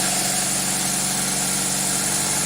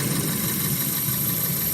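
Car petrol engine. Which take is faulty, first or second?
first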